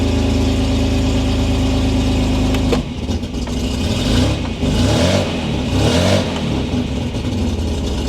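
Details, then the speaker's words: MG MGC GT running after installing a replacement alternator, with fuel reaching the carburetors. It catches and settles into a steady, even low beat with no knocks or misses, and the charging light goes off, so the alternator works. "Let's start it up. Wait for the fuel to get up to the carburetors. Charging light went off. Looks like it works."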